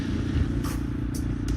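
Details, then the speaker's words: 2008 Kawasaki KLR650 with 685 kit and KLX jet kit, riding: steady deep single-cylinder thump with no crackle or pops after fixing the angled head pipe copper crush gasket exhaust leak that caused popping; runs healthy and even. "so with that resolved everything seems to be worked out the kinks are all worked out and things are running great really enjoying it"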